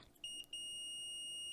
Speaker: so when i touch the shield over here i should be okay and hopefully you can hear that beeping letting me know that that solder is good